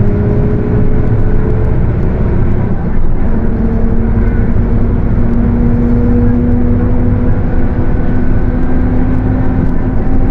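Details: Mercedes-Benz OF 1721 bus (Torino S body) under way: steady tone around 250 Hz rising slowly with road speed over drive noise; growling, worn differential.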